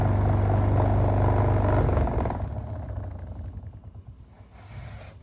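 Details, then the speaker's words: Electric fan run without its cages on speed one; deep humming buzz with steady rapid throb from a warped blade, fading as the fan slows; the blade is replaced. "you see it's vibrating around here like that and then speed one speed"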